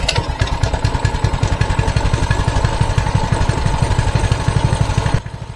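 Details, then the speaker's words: Mini bike with the throttle return spring removed: twisting the throttle does nothing, and the small single-cylinder engine stays at a flat idle of about four beats a second; the spring is essential to the throttle-to-engine connection. "As you can see here, I go to hit the throttle, I twist it, nothing happens. So it appears that the spring has something to do with the connection between the twist throttle all the way down to the motor."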